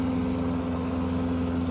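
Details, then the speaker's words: Jacobsen-Homelite rear-engine rider with an 8hp Briggs single-cylinder, after a blade strike broke the flywheel key (crankshaft fine) and the key was replaced. It runs with a short, smooth, even note and no misses or knocks; runs good now. "but it broke the flywheel key so I changed that out and uh runs good now"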